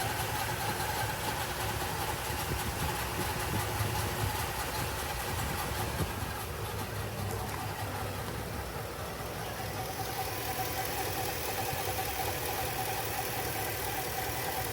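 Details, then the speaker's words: Ford F250 at steady idle with a loose, uneven tapping two or three times a second over the rumble, more prominent under the front of the vehicle; source unidentified. "Noise seems to be more prominent under the vehicle from the front."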